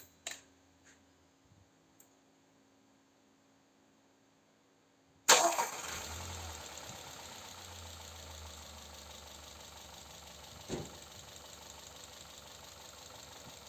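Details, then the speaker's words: VAG 1.4 TSI (engine code CAXA) after timing chain and tensioner replacement for cold-start chain noise: cold start, cranks, catches and settles into smooth even idle, no chain rattle once oil pressure builds; normal cold start. "Don't be scared if it sounds a little when starting from cold. It's very normal that everything is drained of oil until the pressure reaches a little bit in all places."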